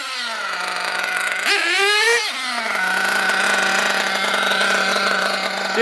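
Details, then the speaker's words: RC nitro engine blipped to full burst, then hanging and running on at a high idle; the idle gap is too wide and the bottom end too rich, possibly with the high-speed needle slightly lean; the fix is to lean the bottom end and lower the idle. "you kind of, after a full burst, it kind of runs on a little bit. It tells me the idle gap's too wide and it's too rich on the bottom. You hear that high idle, that means the idle gap's too wide."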